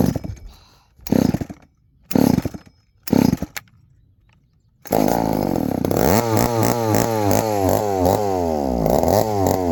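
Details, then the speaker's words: 1972 Remington chainsaw; it fires in short one-second bursts and dies between each, so it keeps stalling and won't hold an idle. The owner plans to adjust the idle screw. "it's not outling very good either I think it's one to mess with the auto screw she don't want to idle ATT very good"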